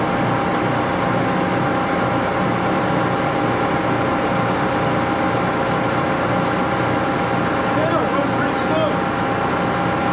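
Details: Axelson 14x30" heavy-duty gear head lathe run through its speeds, headstock filled with AW68 hydraulic oil (about SAE 20, won't reach 1127 rpm); loud even gear whir and steady hum, no knocks; noisy but normal running.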